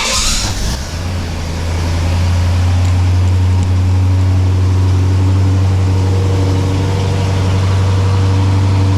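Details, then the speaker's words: 1968 Pontiac LeMans V8 on its original single exhaust before a dual exhaust install; after warm-up revving it settles to a very quiet, smooth, even idle, barely audible from inside. "It was revving up a little bit just to warm up, but here's what it sounds like now. I mean, it's not bad. You can hear it. When you're in the car, you really can't."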